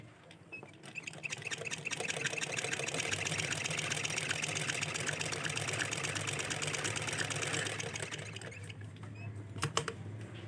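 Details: Sewing machine after home servicing to fix fabric feeding crooked and a slight jam: quick, even stitching patter at about four beats a second with no grinding or catching. It runs smoothly and stitches correctly.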